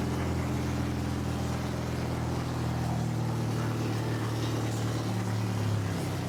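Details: Honda H22 swapped into a Civic on a FuelTech FT450 ECU, just after first start with no exhaust fitted: loud, steady low rumble at an even idle with no misses. Running normally, only unmuffled; idle adjustment planned.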